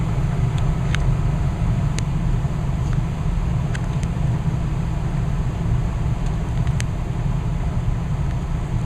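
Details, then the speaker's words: Westinghouse gas furnace, installed new in April: thermostat turned back down to 68, burner off, the blower runs on and slows before shutting off, a steady low fan rumble, smooth and even, with a few light ticks; normal run-down. "And the fan will eventually start to go in its slower, start to go into a slower speed. You can hear it smooth running. Alright, now the fan is slowing down."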